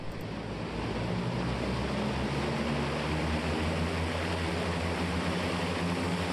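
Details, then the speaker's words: Turbocharged propeller engine run-up after warm-up, with an air compressor hooked up: heavy steady prop roar holding about 2800 rpm and never climbing, not building boost. Leaking reduction-drive oil seals are costing prop governor oil pressure. "right now you know we can run the engine we can't get it up to any higher than 28 and hurry up again because of its not building enough rpm to generate more boost to generate more power"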